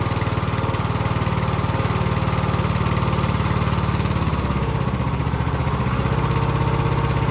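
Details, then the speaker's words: Husqvarna YTH20K46 mower with a replacement used 20 hp Kohler Courage SV600 engine, first test run, new air filter: steady even low thump, no misses or knocks, slight speed dip midway; running pretty well, carburetor good. "And uh not sure yet if I'm going to keep it or sell it, but uh you can hear she's running pretty good. That carburetor is great."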